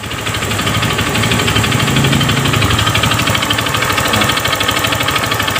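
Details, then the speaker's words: Honda BeAT FI motorcycle idling after new piston fitted: tight compression now makes a rough, hard metallic rap every stroke clearly audible; worn connecting rod knock, engine to be split and rod replaced. "Nah suaranya masih ada yang kasar suaranya masih pelan karena sehernya longgar ya enggak ada tekanan sekarang sehernya baru jadi kompresinya padat tekanannya agak berat jadi si suara stangnya jelas kedengeran ya"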